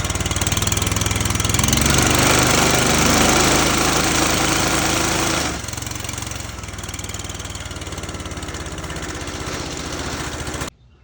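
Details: John Deere F687 with a Kohler Command 23 V-twin runs rough and loud with a shaking pulse, then drops to a lower, still uneven run; a broken coil wire caused a misfire, but the severe vibration is a bent, out-of-round crankshaft snub.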